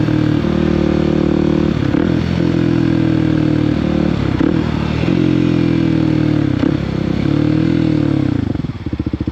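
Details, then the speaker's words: Kawasaki KOX 300 SM motorcycle riding, downshifting and upshifting: engine note drops cleanly at each shift, roughly every two seconds, no clunk or grind; smooth gear shifts. "But you hear how I'm shifting and how it sounds when I downshift and upshift. It sounds smooth, right?"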